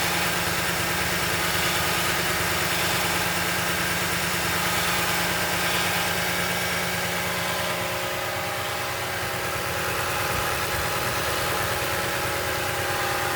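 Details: Toyota Tundra 5.7 V8 at idle: steady idle with a fast, fairly even ticking chatter over the engine note; strange engine noise of undetermined source.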